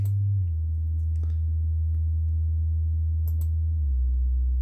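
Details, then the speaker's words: Celestion Ditton 33 woofer, out of its enclosure, after crossover recap, playing test tones: a pure, steady low hum stepping down in pitch with no buzzing or scraping; no voice coil rub. "40 I can sort of hear that now I got no [Music] rubbing or anything there"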